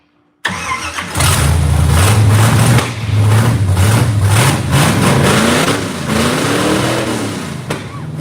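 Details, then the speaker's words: 1967 Camaro, manual, starting after sitting 35+ years in a barn. Cranks briefly, catches at once and settles into a strong, even V8 idle with a couple of clean blips; runs healthy. "I'm glad it's just like it is sounds great and it [ __ ] sounds awesome"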